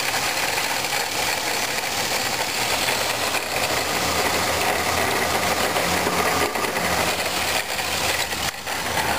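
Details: 1997 Pontiac Grand Prix GTP idling: busy metallic rattle-grind from the supercharger area, louder in Drive and gone on acceleration; caused by a worn supercharger coupler.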